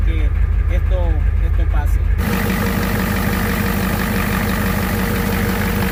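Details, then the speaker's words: Ford Super Duty 7.3 Powerstroke diesel that cranked but would not start, with smoke and no wait-to-start light. After the burned glow plug control/relay was replaced, it catches and settles into a steady, even idle, starting normally. "lo cambiamos y una vez cambiado el camión arranco normal"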